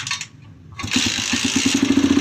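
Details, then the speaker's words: Kick-start motorcycle that misfired with lights or switch on, after replacing the regulator/rectifier damaged by wrong wiring grounding it: catches at once and settles into an even, quickening putter with no misses; starts and runs cleanly. "Ayan umaandar na. Okay na yung kanyang rosyo."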